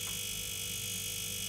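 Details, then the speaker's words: Ariston no-frost refrigerator that isn't cooling, fan held still: steady electrical buzz with harsh hiss comes from the faulty compressor; the fan motor itself is fine. "duyduğunuz ses kompresör bozulduğu için çıkardığı ses."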